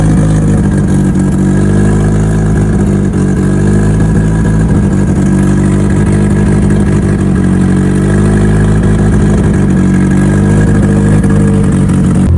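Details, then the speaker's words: Mitsubishi Evo before dyno prep, cold engine, first start of the day after installing both fuel pumps as the fix; loud, steady note holding even through small rev rises, no stumbles or knocks. Normal running. "All right. Engine is cold. Fuel pressure zero and fire it up for the first time today."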